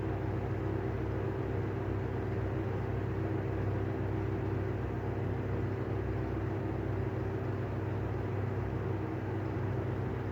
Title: Better catch of bad bearings on the Airflow exhaust fan